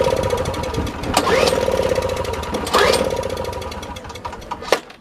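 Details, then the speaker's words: 1970s two-stroke Nova snow blower, possibly 1973, after a simple fix: repeated cranking bursts with a brief sputtering catch that dies each time. It cranks but won't start; a fried spark plug is suspected and choke is tried. "Let's see if it'll start. It tried. Maybe it needs some choke."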